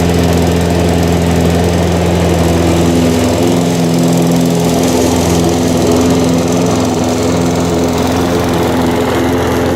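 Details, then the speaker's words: Harbor Freight 173cc single-cylinder mower engine, oil changed weeks ago: steady even putter at held low throttle, no knocks or misses; running healthy, slight oil burn at startup blamed on transport tilting. "I really like this engine. I haven't had any issues with it."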